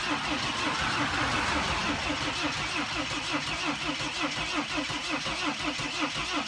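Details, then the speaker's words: Mercedes Sprinter diesel, after reattaching a sensor/control module: steady cranking about three compression beats a second, brief stumble as if wanting to fire, then no start; glow plug cylinder one code present. "I mean it almost started up it like it almost sounded like it wanted to start working"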